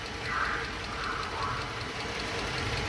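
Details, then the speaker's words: High-mileage Dodge Charger V6, about 220,000 miles, idling with a bad misfire: small, light ticking over the engine note; new oil filter adapter housing and aftermarket O2 sensors recently fitted by another shop. "I can hear a tick y hear that ticking noise small little ticking noise now remember guys this car is two over 200,000 Mi"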